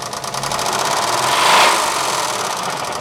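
Fast, even ticking knock over a running V6 at idle, steady throughout; could be a lifter or a rod, hard to say which. Cause suspected, not confirmed.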